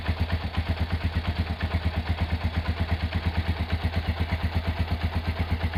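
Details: Restored Honda GL100 engine (year uncertain, possibly 2000–2002), rebuilt with Aspira GL Max Neotech piston, CDI ignition, intake/exhaust valve clearance set at 0.10: even low single-cylinder thump near three beats per second at idle, no tapping; smooth, healthy idle.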